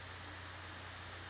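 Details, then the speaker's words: Owner's older laptop rendering video, played for comparison with a new Gigabyte P34G: soft, even airflow hiss with faint low hum, no rattles or rising whine; quiet, healthy fan under rendering load. "so just to put them back to back so you can hear the difference this is rendering and I'll be quiet with the uh my old machine"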